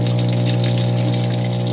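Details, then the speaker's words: Panasonic washing machine, not yet started: a loud steady hum from the motor and pump as water gushes in, running fill and drain together; the replaced water inlet is fine, and the failed control board triacs are the problem. "Tapos pati yung motor na ugong. Motor yan na naugong eh. Motor tsaka drain motor nagsasabay."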